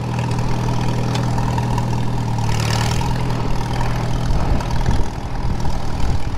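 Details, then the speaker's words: 1939 Farmall H, repowered, on its first test drive in first gear: steady, even low engine beat with no knocks, clunks or abnormal gear whine; rear end sounds normal. "yeah that ain't too bad sounds about right"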